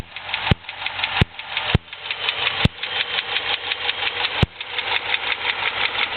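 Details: 2006 Dodge Charger SRT-8: sharp steady ticking about four or five times a second over a smooth idle, same at any speed or rpm, from the top right of the engine viewed from the front; a stuck lifter, later confirmed and fixed.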